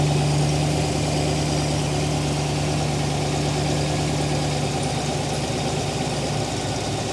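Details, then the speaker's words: TVR Griffith 500 V8 idling in the workshop at first start after extensive work, new HT leads fitted with original extenders; coolant being topped up and burped. Even, steady burble with no misses or knocks; sounds really nice, normal idle. "But otherwise, it sounds really, really nice."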